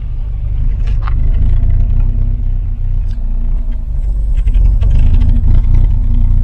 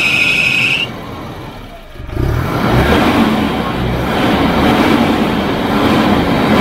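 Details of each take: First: Volvo 240 (245) wagon that had stood abandoned for years, first run, needs fresh oil: deep, fairly even rumble revving up and settling without knocks or misses, maybe slightly rough. Normal running. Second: Volvo 240 wagon (245) abandoned for years, first start with old varnish-smelling oil; short starter whine, then catches and idles fairly steadily with faint unevenness; owner says a little rough, needs fresh oil; slightly rough running.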